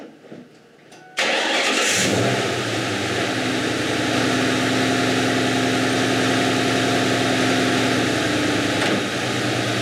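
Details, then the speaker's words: Coil-on-plug V8 starts and idles with a faint uneven stumble after the known-bad ignition coil is moved back to cylinder 4; code P0304 cylinder 4 misfire confirms the defective coil, to be replaced with the good one. "so there's our code p0 three or four cylinder four misfire detective and there you go that's how simple it is to diagnose a misfire code and see if it's being caused by a defective ignition coil"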